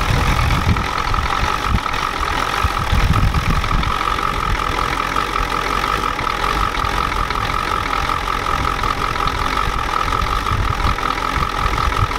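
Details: 1993 Ford F-250 7.3L IDI diesel after sitting since Monday: a steady idle with a hard, even clatter on every firing and a faint whistle behind it. The injection pump was checked and confirmed out of time, and the engine smokes heavily.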